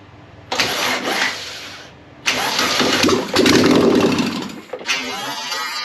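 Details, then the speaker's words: Air-cooled 1600cc VW Beetle engine, a candidate for a 1974 VW Bus, on its first start attempt: short cranking bursts catch with a few ragged firing beats and die each time. It sounds funky, and the carburetor float bowl needs filling. "well that went exceedingly well actually so we sparked off like in an instant so that's a good sign we definitely need to fill that float bowl that way maybe we can even get this thing to idle but it sounded really funky"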